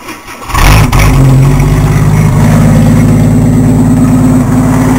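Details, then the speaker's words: Engine with the muffler removed, open pipe: catches after a brief crank and settles into a loud, deep, steady, harsh drone at idle. Loud exhaust from the missing muffler. "I'm pretty sure it's going to be loud as ever if I try to start it up which I'm going to do right now"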